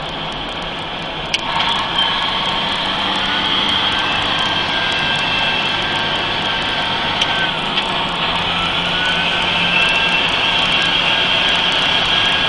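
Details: Mercedes-Benz 3340 diesel truck, turbo failure test: loud diesel run with a piercing high whistle that holds and slides as revs change. Failing turbocharger suspected, not confirmed.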